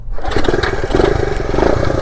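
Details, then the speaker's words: 1969 Honda CT90 Trail (53 years old), newly revived: starts on the first kick after the timing was set, settling into a quick, even single-cylinder putter with no misfires. Healthy start. "wow it started on the first kick it must have helped that uh that I got that timing right"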